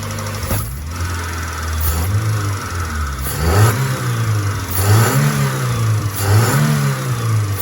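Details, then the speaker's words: Peugeot 406 after compression leak repair for hard starting, warm at normal temperature with fan running: revs rise and fall cleanly in repeated blips, no knock or stumble; engine runs smooth. "Ya, itu dia. Wow, halus sekali. Sedang berjalan sekarang, kan?"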